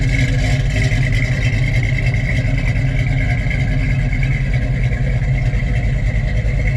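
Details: Muscle car V8 stored in a basement for over 20 years, not road-driven since the late '90s, just driven out of the basement: deep, even rumble with no knocks, misses or hunting; running good.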